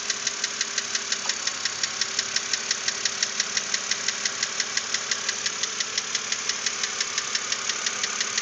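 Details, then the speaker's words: 2006 BMW Z4 3.0si at steady idle: a crisp, regular knock near three per second stands out over the engine hum. Lifters were already replaced without effect. Internal engine knock, cause undetermined. "get embarrassing to drive at times especially when you're trying to show it off to one of your buddies and they say what's that KN"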